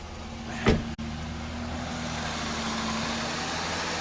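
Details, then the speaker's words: 2004 Pontiac Grand Am after starter replacement (previously clicked but wouldn't turn over), battery reconnected: short crank catches first try, settles into smooth steady idle with no clicking or grinding. "yeah first time yeah i am good"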